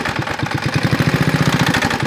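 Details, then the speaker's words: 1970s Trail Horse GTO mini bike, vintage Tecumseh HS50 single, parked 20 years, sludgy oil just topped up with motorcycle oil: loud regular knock about eleven a second at idle; serious internal knocking, cause unconfirmed. "it sounds so bad oh my goodness I had no idea it was that bad I heard a little bit of that earlier"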